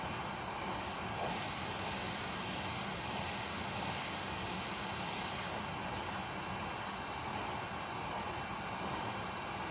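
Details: Hot air rework station at airflow 7 and 400 temperature, reflowing the chips of a failed PS3 Slim: even, steady rushing airflow with no surging or rattles; the blower runs smoothly at a constant setting.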